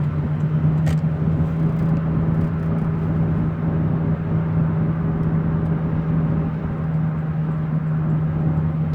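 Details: 2003 Ford F-150 4x4 while driving: deep, constant droning roar from underneath, heard at about 30 to 40 mph and getting louder with speed. Cause unknown; owner suspects bearings.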